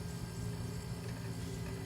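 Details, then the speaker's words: Panasonic NR-A749D refrigerator compressor after replacing a broken starting relay and overload protector that caused no cooling and knocking, running 30 minutes: steady low hum, no knocks or clicks; normal running. "30 minutes now already I don't hurt any sound nothing some guys the compressor is working good"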